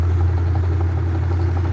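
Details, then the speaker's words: Classic Kenmore washer spinning after replacing the broken motor-to-transmission coupler and adjusting the clutch: steady deep motor hum with no knocking or grinding, spins normally. "Ahí está, ¿verdad? centrifuga perfectamente bien porque ya arreglamos el copling, que era la falla principal, ajustamos un poco el clutch y esta lavadora pues era el único problema que tenía."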